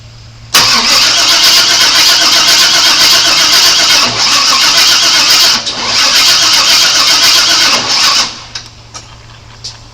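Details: 1997 Chevy Suburban that sat broken for years, cranking during a spark check with a test plug: two long bursts of steady, even cranking with no catch or firing; cranks but won't start.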